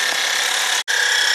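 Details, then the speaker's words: 2012 Honda Odyssey with stored P1549 charging system high voltage code and replacement alternator; steady high-pitched whine over hiss at idle from the alternator area, charging steady at 13.5 V; noise cause unclear, seems to worsen. "Is there a weird sound coming from this alternator? I don't know."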